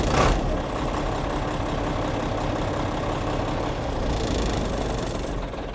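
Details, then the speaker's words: 1987 Ford F800 dump truck diesel after fuel system work, with rust and water found in the fuel filter bowl: even, steady idle with a firm low rumble and no knocks or misses. Normal idle. "Well, it seems to run all right."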